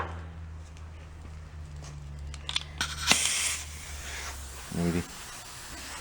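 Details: Old amusement park go-kart tire being inflated with air compressor: compressor drone, then a burst of sharp hissing as air escapes while the tire fills; tire air leak.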